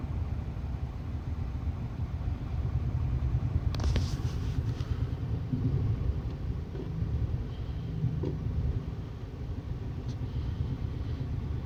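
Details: 2001 Subaru Impreza L, 2.2 EJ22E, manual, 155k miles, at idle: low, rough, uneven, lumpy rumble from misfires on cylinders 1 and 3; a valve stem guide dropped into the cylinder and held the exhaust valve open; plugs, wires, coil pack, fuel filter already replaced.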